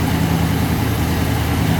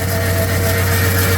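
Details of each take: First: Rebuilt 1966 AMC Marlin 327 V8 warming up after cold start: low, even idle with a smooth steady rumble and no knocks, misses or hunting. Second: 1966 AMC Marlin 327 V8 at idle during a mechanical restoration: a steady low roar and constant whooshing hum over the engine from a locked fan clutch spinning the fan when it shouldn't; loud.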